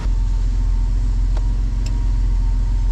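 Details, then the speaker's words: 1994 Toyota 4Runner 3VZ V6 after major engine repair for no compression on two cylinders. After running 7–8 minutes, temperature sits halfway and the idle drops from high idle to normal: a steady, smooth warm idle. "also the idle has uh has actually dropped on down now to where it's supposed to be"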